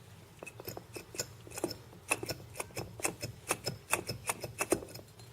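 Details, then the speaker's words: Broken power steering pump bearing on the removed old pump, turned by hand, gives uneven gritty clicks and scraping instead of a smooth spin. The worn bearing was replaced with a scrap-yard pump. "yeah the bearing was broken so I had to replace it this is the bad one listen to it"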